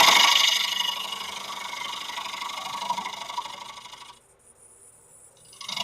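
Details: Birch bowl outside finish turning on a Laguna 1524 lathe, loud dust collector running: hissing cut with a rough, uneven knock about three times a second as the gouge catches a knot each turn.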